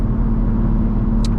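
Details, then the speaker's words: 500 HP turbo Infiniti G35 after a new crank sensor (old one dirty from an oil leak) and an idle relearn; before, it would start and die: steady, even low rumble with no stumbles or dips, a smooth stable idle. "after I did that, I did an idle relearn on the car, and it's completely okay now. Like, it's really good, so I'm pretty happy with"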